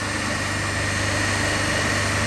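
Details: Lab three-phase induction motor coupled to DC compound machines, running single-phased with one phase switched open (zero current and watts in that phase), gives a loud steady growling hum with a heavy low drone.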